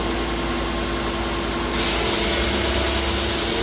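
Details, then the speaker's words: Belt grinding a heavy 14 ft aluminum beam at 80% belt speed with a slow conveyor: the steady hissing grind grows louder and brighter after a tenth more infeed, giving grinding pressure that is slightly too high. "You can hear now with that tenth more, we have a lot more grinding pressure. You hear that in the sound. That is almost a little bit high."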